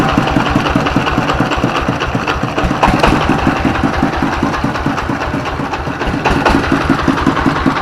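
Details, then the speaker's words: S1115 24 HP single-cylinder diesel that had thick black smoke and surging throttle; after service it idles normally with reduced smoke, a steady, even thump at a regular pace and no misses or knocks. "Baik sahabat ketika posisi stasioner ya ini gas ini bisa besar kecil besar kecil ya posisi stasioner itu tidak masalah normal ya"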